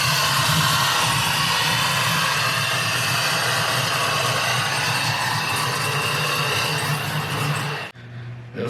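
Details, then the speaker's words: 1999-06 Chevrolet Silverado/GMC Sierra V8 after head gasket replacement and BTR Stage II truck cam swap, headers, no EGR or downstream O2 sensors, battery sat a while, first start: loud rough lumpy running then stalls; needs tuning. "freaking sick it died out so i know i gotta get it tuned"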